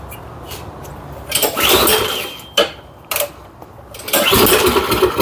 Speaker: does run a little better. Heat up here. Not too bad. Not too bad.